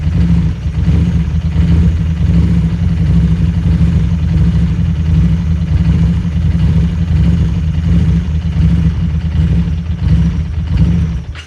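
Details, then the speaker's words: Harley-Davidson Street 500 chassis (17k miles) with fresh Street 750 engine (60 miles); lumpy V-twin warm-up idle hunting between 1300 and 1600, surging then sagging and stalling once warm at only 96 degrees, possibly running lean. "you can see the idols getting a little bit disturbed it's bouncing between 13 and 16 it was back to smoothed out here it goes it's gonna stall any second here"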